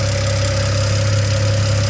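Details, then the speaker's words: BMW E89 Z4 N54 engine after DIY intake valve cleaning, cold start warming to operating temp, straight-piped turbo-back exhaust; steady even idle with fast light ticking, the normal high-pressure fuel pump tick, nothing wrong. "Nothing but the regular n54 ticking. That ticking is actually the high pressure fuel pump."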